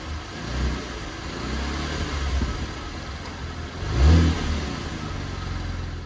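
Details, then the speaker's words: 2014-2019 Cadillac CTS VSport with stock exhaust, normal sound without the exhaust leak at a cracked hanger under the front seats: deep, smooth exhaust drone with a brief rev, no rattle or tinny buzz. "so this is what my vsport should sound like i don't have any aftermarket exhaust really so this is what it should normally sound like"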